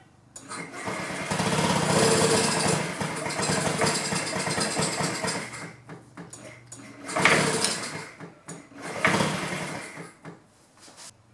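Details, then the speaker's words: 2009 Honda Metropolitan scooter, owners fitted a new carburetor and battery; starting fluid sprayed into the intake. Rough bursts of cranking that fire briefly and fade: it has spark but gets no fuel, no-start from fuel starvation. "So we know we got fire. So it's not getting fuel. Let's dig deeper and see if we can figure out why."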